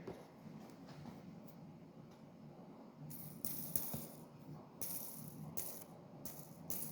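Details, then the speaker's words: Langmuir Systems MR-1 CNC mill after heavy machining: quiet machine with irregular loud dry clicks and gritty grinding rasps as the axis moves; worn axis end bearings, possibly from over-torquing them. "these bearings on the ends uh if you're going to do a lot of heavy Machining you might want a couple extras cuz you might wear those out um and you'll know because of the be clicking really loud like grinding and clicking and making bad noises like let me show you"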